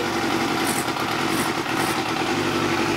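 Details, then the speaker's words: Yamaha YZF 250 motorcycle, sat 10 years outdoors, first start on full choke after reconnecting an ignition coil, no coolant in it; smooth, even buzzing run with a steady high-pitched exhaust note and no knocks. "dude it's running no way no way Jose"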